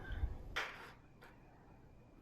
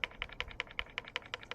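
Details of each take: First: 2024 YT Decoy Core 4 e-mountain bike after about 100 miles: fine, rapid ratcheting buzz as the rear wheel freewheels, with sparse clicks; normal pawl noise from its low-engagement freehub. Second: doesn't rattle up here but if I wiggle it here go all the up here it's rattles and when I when I rattle it it just keeps rattling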